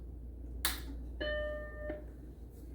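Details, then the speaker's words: Macintosh Plus (upgraded early Macintosh M0001), first power-up after motherboard and analog board recap and disk drive replacement: click, then a clean steady chord about half a second, video appears and it boots; normal startup chime. "all right well that sounds good getting video and it's booting right up"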